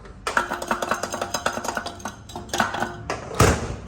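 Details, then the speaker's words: 2011 Honda Odyssey 3.5 engine noise resembling a rod knock, traced to the catalytic converter: loose metallic clinks and rattles in bursts as the converter is shaken, its intact honeycomb detached inside; converter needs replacing. "está despegado el panal miren está entero el panal está despegado ahí está ese es el ruido que tenía"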